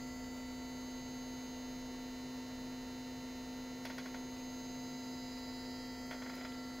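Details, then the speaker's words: Non-ASR throttle actuator from a 1995 Mercedes S320, bench-tested after cleaning and rewiring the board to the potentiometer: once energized it holds the idle position with a steady metallic buzz and no chatter. Normal energized actuator buzz. "can hear the noise that's one unit is energized and is ready it's working"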